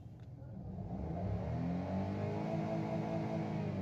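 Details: Petrol car checked for misfire code P0302 (cylinder 2), engine revving up smoothly and settling at a steady, even hum with no stumble or miss. Normal running, no misfire.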